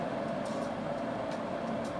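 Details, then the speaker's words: Grainfather glycol chiller, just installed and plumbed in, kicking in to pull down to temperature. Steady mid-pitched compressor hum, even and free of rattles or clicks. The compressor is running normally. "You can hear the chiller behind me is kicking in, getting itself down to temperature, which is a sound I've really missed here in the brewery."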